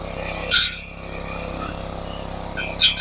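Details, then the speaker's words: Craftsman lawn edger/trencher unused about 5 years, running outside; small single-cylinder holds a smooth, even putter with a couple of outside noises on top; earlier smoke gone, owner thinks oil burned off; healthy, normal running. "All right, well, this one's done. I'm very surprised. Did real well. Runs pretty good."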